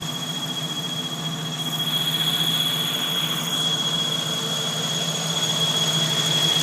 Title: Bruit moteur yj 4.0l